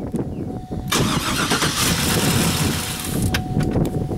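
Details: GMC Denali after fuel pump replacement, since filings were found in the tank, and wiring repair: starter churns briefly before the engine catches and settles into a loud, uneven run; a couple of exhaust leaks noted.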